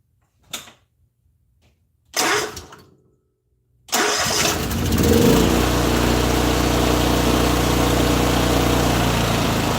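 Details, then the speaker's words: Honda EM6500 generator, first recoil start after replacing and adjusting the rocker arms: a few failed pulls, then it catches and settles into a steady, even run with no misses; sounds healthy. "It sounded like it turned on to me. What did it sound like to you guys? Did it sound like it turned on?"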